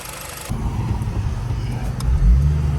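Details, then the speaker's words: 2006–2011 Honda Civic Si (K20) after water pump replacement and coolant bleeding, pulling away on a test drive: deep even engine and road rumble, no pump whine or grinding; belt possibly slightly tight. "That's a lot of work, but at least it's quiet now. I feel more better driving it. No more water pump noise."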